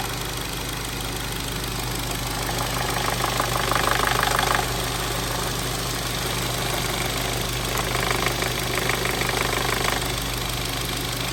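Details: Volkswagen Polo GTI 1.8 TFSI idling with a quick steady metallic rattle; fault codes P0011 camshaft timing over-advanced and P0341; camshaft oil control valve and adjuster magnet replaced.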